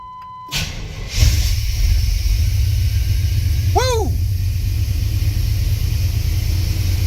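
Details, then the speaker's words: 1989 Chevy Silverado no-start, after replacing coolant temperature sensor: brief crank on a slightly weak battery, catches at once and settles into steady, even low idle; fixed. "that started right up like right up battery was a little weak"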